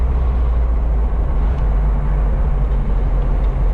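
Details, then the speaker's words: 1978 Alfa Romeo GTV 2000 driven over a bump: a steady low engine and road rumble with no rattles or clunks; body and suspension sound tight and solid. "Here comes our next bump. I'll be quiet here so you can hear how nice and tight this car is."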